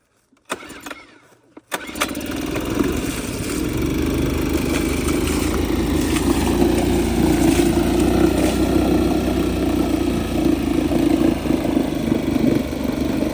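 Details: 1990s Honda 2 hp four-stroke outboard found at a landfill, run in a water bucket with choke out and light throttle; a few cord pulls, then it catches and keeps running with a busy, slightly uneven putter; runs fine.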